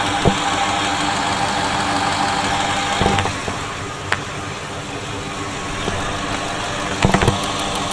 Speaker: okay so all of the injectors do sound similar you can hear a distinct ticking